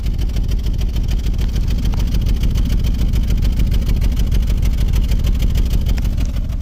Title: 2013 subaru 2.5 misfire